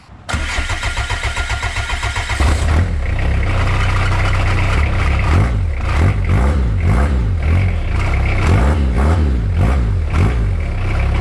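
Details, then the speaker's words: Suzuki Vitara TD first startup after gearbox install and new exhaust with welded-in hot dog muffler: about two seconds of rhythmic cranking, then the diesel catches with a few blips, quieter, rolls a bit of smoke. Normal start and idle. "It's a lot quieter now with that hot dog in it. Rolls coal a bit."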